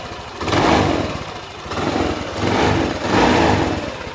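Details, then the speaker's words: Honda Vario 150 scooter at 93,000 km, overdue for an oil change run on cooking oil mixed with a little Shell Rimula R4X, before the change: smooth, even revs rising and falling cleanly in several blips, no knocks or rattles; engine healthy. "Nah itu tadi Mbah suaranya masih halus tarikan masih enteng dan performa masih enak Mbah"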